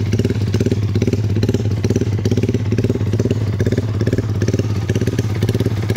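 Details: Yamaha MX King bored up to 177cc after its first 5000 km, valves in good condition, tuned slightly richer with a J Maper exhaust, radiator refilled: crisp, regular exhaust pulses at a steady idle with no misfires, ticking or clatter; healthy engine.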